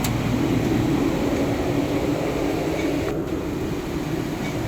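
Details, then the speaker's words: Fusing machine run after greasing all the gears and chains and refitting the roller, with the belt control and left and right stoppers set: a steady mechanical hum and soft, even belt and roller rumble with no knocking or scraping, running normally. "Ayan siya, umaandar na siya. So yan, pinokontrol niya yung belt."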